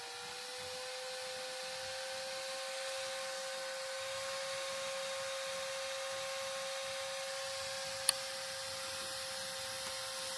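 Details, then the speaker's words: Old PC after cleaning and new thermal grease: video card cooling fan screams with a loud, steady high whine that climbs as it spins up then holds, like a jet engine; fan suspected bad and may need replacing. "Does not sound good. Might need a new fan. I know you can hear that on this. Definitely, it sounds like a jet engine."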